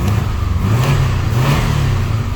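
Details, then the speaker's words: Contract engine Subaru Legacy BL5, EJ203, automatic, 4WD, 109,000 km, tested in Japan before dismantling: it starts readily and pulls smoothly through mid revs with a deep, even drone. Revs don't hunt and there are no knocks or extraneous noises. "Оп. Завелся на ура. Работает ровно, обороты не плавают."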